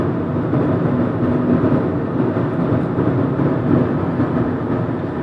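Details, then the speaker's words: 2012 Hyundai Elantra cruising, recorded in the cabin: a steady, deep rumbling roar of excessive tyre and road noise with no distinct knock or whine; the owner also reports a constant rattle behind the stereo. "Can you hear that road noise? It's a lot more pronounced."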